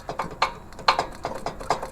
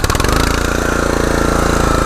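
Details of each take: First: Troy-Bilt/MTD log splitter: uneven clacking knocks about four or five a second over a quiet run, not engine knock; worn, squeezed-out jaw coupling spider between engine and hydraulic pump. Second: Troy-Bilt/MTD log splitter with Honda single-cylinder engine after replacing the worn LoveJoy pump coupler spider: steady, even running with a constant note, much quieter, no knocking.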